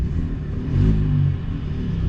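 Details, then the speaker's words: Ford Raptor at Copart, listed runs and drives, possibly EcoBoost, just fired right up: deep smooth rumble swelling cleanly in a short blip and settling back, no knocks. Normal engine rev. "like a beast fired right up but I bet you this is the EcoBoost on hey man it works it runs it definitely ruins you know it runs"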